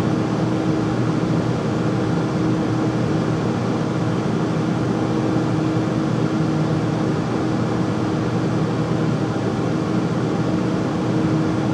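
Constant loud roar with a steady low hum underneath and no change in pitch; the furnace runs noisy, source not pinned down.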